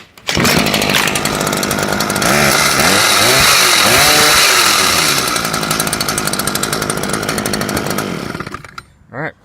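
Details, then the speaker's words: Stihl two-stroke after fix for bogging and hard starting (old fuel drained), semi-warm: clean snarl that picks up fast, holds high revs without bogging, drops back smoothly; running right, carburetor untouched. "solved glad I didn't have to mess with the carburetor"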